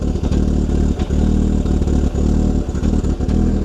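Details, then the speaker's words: Audi former autocross car, first run after sitting: uneven, lumpy, stumbling revs with a clattery undertone and bad-smelling exhaust; rough running, owner suspects old gas, getting a little better. "It's just that old gas. As you can hear, the Audi is having some issues. Hopefully, it's the bad gas."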